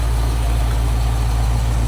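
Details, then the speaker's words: 1973 Ford Bronco with a roller 302 (5.0) V8 from a Fox body, idling before the thermostat opens, coolant dripping from the uncapped radiator; deep, even rumble with no knocks, ticks or misses. Normal idle. "Sure sounds good though. It does."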